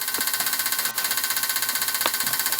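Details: Electric fuel pump on a bench rig for cleaning 1985.5 Porsche 944 fuel injectors, powered from a power supply at no load (about 1 amp): even, rapid buzzing pulse of about thirteen beats a second that never wavers, running normally.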